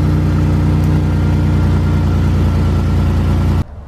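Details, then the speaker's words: Idle after DIY exhaust pipe hole repair (wrapped patch, wire, 30-gauge stove pipe sleeve): deep, even idle with steady low thump, no hiss or puffing from the pipe, exhaust now sealed and very quiet; normal idle. "i'm gonna fire up the car wow now that's quiet you're not gonna hear this car coming anymore"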